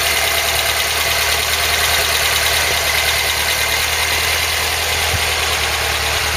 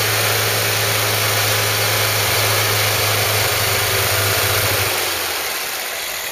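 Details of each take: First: Ford Cortina Mk3 with newly rebuilt 2.0 Pinto engine, first start on test with Weber carb and auto choke; steady idle with faint quick light tapping on top, valve tappet tick, clearances likely need redoing. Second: Ford Cortina Mk3 with newly rebuilt 2.0 Pinto engine, after slightly rotating the distributor to improve the sound: steady even low hum, smooth tick-over easing off near the end; normal idle.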